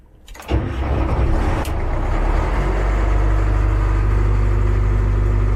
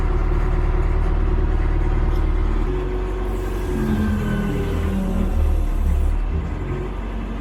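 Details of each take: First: Cat 215 excavator diesel after brake seal replacement; starter turns it over in an uneven chug but it never catches, because the fuel tank is nearly empty. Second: Cat 215 excavator diesel after brake seal replacement and refuelling: steady low drone with even beat at idle, no knocks or misses; running normally.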